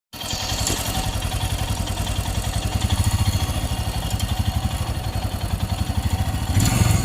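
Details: Royal Enfield Himalayan BS6 single cylinder, hot after a run of about 24 km: thumping idle with an uneven mechanical clatter on each beat when hot; source not pinned down yet.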